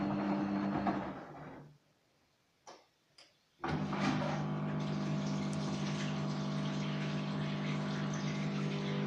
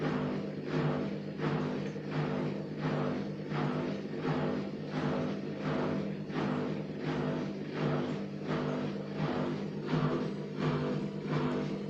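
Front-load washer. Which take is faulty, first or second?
second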